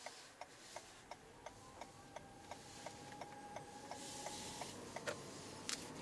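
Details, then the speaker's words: 2021 Toyota Venza Hybrid XLE in EV mode at low speed: faint, steady, eerie mid-pitched tone under rapid indicator ticks; normal legally required pedestrian warning sound. "Right there, you heard, it kind of sounds like a spooky ghost horror film. But what it is they have to legally make that sound now for hybrid vehicles to let pedestrians know when it is in EV mode."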